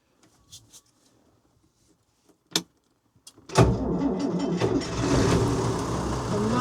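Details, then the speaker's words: Old machine standing unused, oil checked (black, due a change): a few clicks and clanks, then it fires straight away and settles into a steady low chug; clean, healthy normal start and idle. "Straight away. Oh, brilliant. That's a relief."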